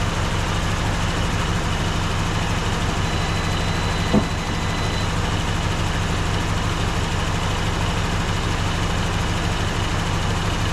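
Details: 1954 Dodge Coronet Poly V8 after 42 years in a garage, oil pressure about 35 psi, electric fuel pump running: steady even low idle with a smooth regular beat, no knocks, misses or ticks. Normal idle.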